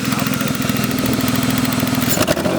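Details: BMW E36 after replacing the coil pack for a misfire: even, steady idle pulses with no stumbles or skipped beats, a little handling noise near the end. The engine now idles smoothly.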